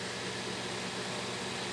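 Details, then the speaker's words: Brastemp microwave after repair of a loud noise that blew its protective fuse, 30-second test: steady even hum with soft fan rush, no buzzing, crackling or arcing; noise gone, fuse holds, running normally. "30 segundos vamos ligar tá ligado e acabou aquele barulho não tá queimando mais o fusível"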